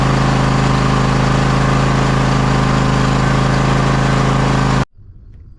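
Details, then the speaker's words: John Deere X540 mower, Kawasaki FD731V V-twin, after fixing the fuel delivery fault that made it die after 15–20 minutes, including carburettor cleaning: steady, smooth low rumble with no surging or stumbling; running healthy. "after I get this thing fired up we're going to let it run for about a half an hour or however long it takes and see if we can't get it to shut off right here on the table"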